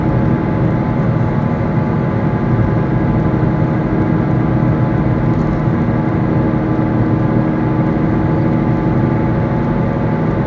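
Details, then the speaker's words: Worn car wheel bearing heard while driving: a steady low hum under road noise. As wear progresses it grows into a growl, almost louder than the engine, and intensifies with speed and load on the bearing. "the humming gets ever more worse and at the final phase the sound is almost louder than the engine it goes from humming to a sort of growling which intensifies as you drive faster and there's more load on the bearing"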